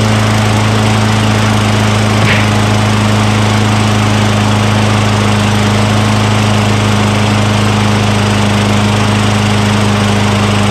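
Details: Craftsman self-propelled lawn mower with 6.75 Tecumseh single-cylinder engine, a curbside trash find, just started after priming the intake with spray degreaser during oil sludge drain repair; steady even drone, no misses or surging, normal running.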